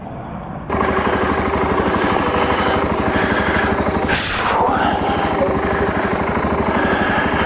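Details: 2012 BMW Sertao G 650 GS single, about 3,150 miles, cold at 40.9°F, recurring starting issue (6th time): starter churns evenly about three beats a second for seven seconds but never catches; cranks, no start, cause unconfirmed (decompressor lever suggested).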